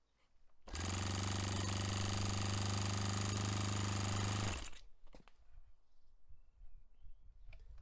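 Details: Restored Saito FA-45 Special on a test stand, 10% nitro fuel, warmed up for top-end tuning. Holds an even high buzz about four seconds without misses, peaking near 10,260–10,300 rpm against a manual peak of about 10,300. A normal full-throttle run; owner richened slightly afterward.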